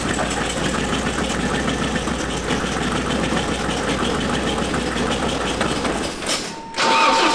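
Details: 1988 BMW E30 M3 four-cylinder left non-running nearly a decade; pitting found, one cylinder lower compression. Catches and runs lumpy for several seconds with no settled idle. Rough running; fuel pressure in doubt, cause unconfirmed.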